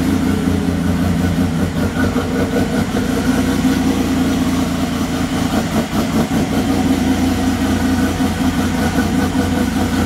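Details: 1996 Chevrolet Beretta petrol engine idling steadily after a timing chain replacement; valvetrain tick gone, a light quick puffing tick of two to three a second remains from exhaust leaks.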